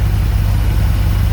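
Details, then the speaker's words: 1985 Dodge D150 with a 408 stroker 360 Mopar, Comp roller cam, Holley 850 carb, warm at a steady 180°, no carb tuning or timing advance yet: deep, even rumble with no misses or knocks; normal smooth warm idle. "but she's running smooth let's get that temperature again at temperature holds nice and steady at 180."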